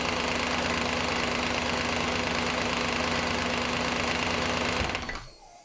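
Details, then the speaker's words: Audi A8 D2 4.2 V8 (ABZ) with the drive belt removed: a fast, regular rattling knock at idle from the front timing cover area. The whole front cover was loose because a bolt was missing from a previous repair; it was refitted with thread sealant. "Болтается. Вся передняя крышка."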